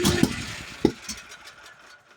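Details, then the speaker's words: Duromax generator (owner calls it sick) hard to start, fuel valves confirmed open: rough, fading run broken by sharp pops within the first second, misfiring and pretty bad backfires on startup; owner says the solenoid sometimes sticks, and the start indicator then flashes red. "Not serious backfires. That's a pretty bad backfire. Solenoid just gets stuck like that sometimes."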